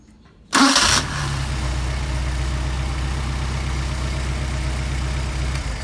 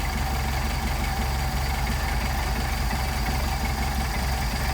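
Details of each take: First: Mercedes 190SL with freshly rebuilt Solex carburetors, hot start: warm engine catches instantly on short crank into steady, even idle; starts and runs healthy. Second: Mercedes 190SL with Solex carburetors at idle: turning idle mixture screw in or out makes engine labor and stumble roughly with lumpy irregular beat, then backing it to midpoint gives smooth idle; incorrect idle mixture setting.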